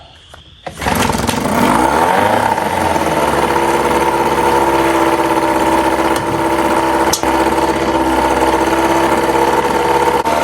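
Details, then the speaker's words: 1997 Johnson 6 hp outboard on a 12-foot jon boat, after clearing a clogged tell-tale outlet: catches after a couple of cranks, fast steady buzzy idle that stays high in neutral but drops in gear, idle adjustment untouched; high idle in neutral. "again seems to be running okay it's very high idled when it's in neutral but it goes down when you put it in gear"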